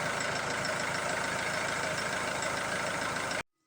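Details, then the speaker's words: Ford Transit Mk7 2.2 TDCi diesel, new crank sensor, filter, EGR valve, air sensors and fuel parts, no check engine light; rough clattery idle for about three seconds then cuts out dead; stalls right after starting, cause unknown. "Now let's see how it idles. Yeah, it stalls right away."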